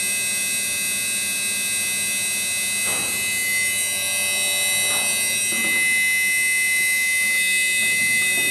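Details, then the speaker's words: Haier washing machine whose drum won't turn while the motor runs at full speed. From behind the machine there is a steady, high, thin electrical buzz with no turning rhythm, plus vibration. The motor is straining against a seized, rusted drum bearing. "और आप सुन भी सकते हैं जो washing machine के पीछे से यह काफी न आ रहा है"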